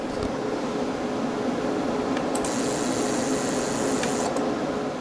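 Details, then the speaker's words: 8000 W pure sine 120 V inverter on a 48 V lithium battery, about 58 A draw with space heater on high: harsh steady internal buzz with thin high whine under overload, gone at about 6,500 W. "We're currently at 47 amps. 58, but it started making a noise inside. So that nasty noise that was starting in there, let me get the camera close to it so you can hear that."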